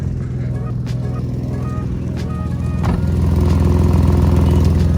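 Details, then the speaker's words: Infiniti G35 with Tomei exhaust, Manzo test pipes and Megan Racing Y-pipe, idling: a rough, lumpy, tractor-like chuffing beat from exhaust escaping through both completely blown flex pipes, before the fix. "today we are fixing my exhaust leak on my toma g35 you can very much hear it idle's like a tractor"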